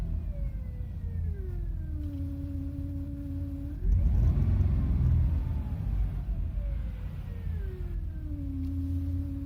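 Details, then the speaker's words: 2010 Jeep Liberty with throttle blipped: a strange whine slides down in pitch as revs drop, then a rough rumble with each blip; source not identified. "please listen to this strange noise coming or that can be heard from the background."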